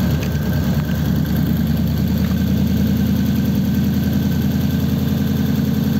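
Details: 1933 5-window coupe, worn "crusty" flathead started after nearly 3 years parked, idling in a closed garage through dual pipes with very short mufflers: steady, even low rumble at constant speed with no misses or knocks; normal healthy idle.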